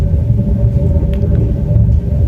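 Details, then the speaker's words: Wood stove burning at maximum draft: loud, steady low roar with faint hum; fix is to reduce draft with the damper (shiber) and regulate air, as proper burning should be quiet. "печка работает на износ, то есть на максимальной тяге. Нужно приглушить тягу на шибере, и конкретно в этой печке можно вот здесь приглушить тягу."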